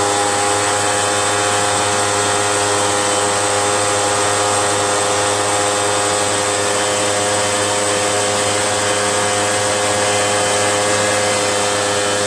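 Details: RedMax EBZ8050 gas backpack blower two-stroke after new piston rings fixed no compression (rings very tight, hard pull, hard start): high buzzy note holding steady with constant fan rush, no sputtering or dropouts; running properly.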